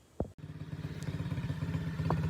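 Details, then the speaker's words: SSR pitbike single-cylinder after rehab: after a thump, steady, even, crisp popping with no misses; running normally. "running pretty darn nice"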